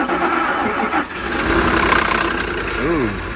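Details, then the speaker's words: Ford F-150 with a 5.4 three-valve V8 and 330,000 miles, at a salvage auction, possibly flood-damaged: it cranks briefly, catches cleanly and settles into a steady idle with no knocks or misses; it runs great. "All right, here's what a 330,000 mile F-150 sounds like."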